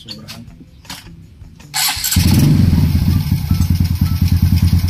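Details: Honda RS 125 motorcycle after top overhaul for an engine knock, with a damaged piston found: starter catches and settles to a steady even single-cylinder idle; knock gone, engine quiet.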